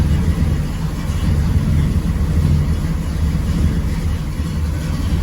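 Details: 1979 GMC Caballero big-block V8 after the header-to-exhaust donut leaks were repaired: a deep, even rumble with smooth rev swells and no puffing or ticking from the manifold; the exhaust sounds sealed.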